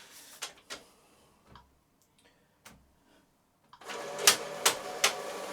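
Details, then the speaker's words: Epson EcoTank ET-16600 A3 printer, automatic document feeder copying/scanning a page: motor whir with sharp, evenly spaced clicks; reported as grinding, skipping and jamming; ADF stripped down for repair. "right now it's copying scanning um from the ADF but it's making a clicky noise"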